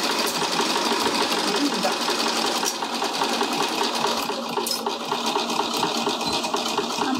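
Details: Sewing machine at stitch length 4, sewing over thick layers along the piping seam with forward and reverse backtack passes: rapid, even needle ticking, no labouring or knocks. Normal stitching.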